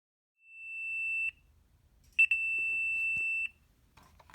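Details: Chamberlain/LiftMaster 888LM MyQ door opener control unit 041A7928-3: long high-pitched beeps about every two seconds caused by failed backup capacitors; fix is soldering in one or two new 1 F 2.7 V capacitors.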